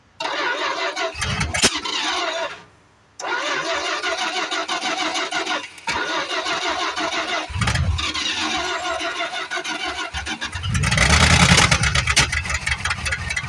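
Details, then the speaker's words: 1973 Plymouth Fury III with 360 V8 just installed after car sat engine-less 7 years, hard start: cranks, catches and dies, stumbles with loud pops and bangs, blowing fire; cause unconfirmed, owner suspects retarded timing or exhaust restriction. "Yeah, she's blowing fire again. Boy, that gas out there don't smell too good. Come on, baby. It's sure blowing fire. Wonder if there's an exhaust restriction."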